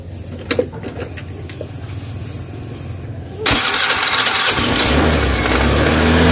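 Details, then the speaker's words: Honda Scoopy FI scooter: fires up at once, then holds a fast idle that keeps climbing and won't drop even with the idle screw fully backed off; high idle. Owner suspects the ISC idle sensor. "Mentok sampai bawah juga tetap gasnya gede ya."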